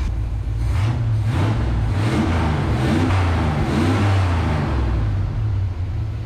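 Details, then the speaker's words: 1976 GMC Sierra started after sitting abandoned, idling around 1800 rpm: low, uneven idle sags and nearly dies when the hose from the PCV valve cover to the carburetor front pops off; owner suspects this is the vacuum leak. "Did you hear her almost die? I pulled on my hose that's going from our PVC and our valve cover to the front of the carburetor. That sucker popped right off."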